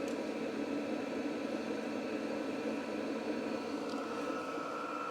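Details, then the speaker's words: VEVOR 5/8 kW diesel heater, thermostat turned up to 30°C from 16: steady, even fan whir, pump ticking inaudible; normal running at high setting. "you cannot hear that pump at all now. Now once it gets up to temperature, you can hear it. It starts to wind down a little bit. It's not as noisy."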